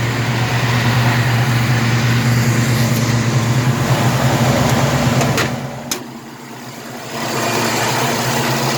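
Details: 1967 El Camino 427 big-block with MSD Atomic EFI and return fuel line, warm after a drive; deep, steady drone at low idle with even beat, no knocks, misses or ticks. Normal warm idle.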